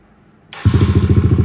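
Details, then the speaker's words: Kawasaki KLX140 with stock carb, Big Gun exhaust and airbox mod, after jet swap: catches and settles into a crisp, even thump of steady exhaust pulses with no stumbling; later road test confirmed it perfectly jetted, normal idle. "we got at the bottom and it sounds like pretty crisp I mean"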